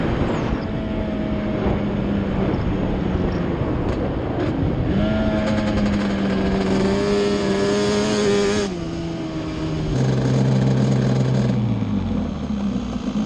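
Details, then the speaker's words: Yamaha Banshee two-stroke twin ATV on a ride after misfire chase (new plug caps, coil swap didn't cure it): carb needles moved back to middle position, pulling cleanly through revs and shifts, no stumbling or popping; miss gone, running healthy. "I feel like a complete idiot but the miss is gone so just moving the needles back up to the middle position straightened it out"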